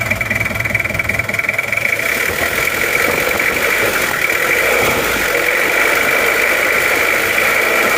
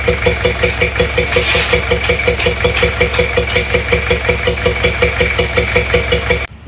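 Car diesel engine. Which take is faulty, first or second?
second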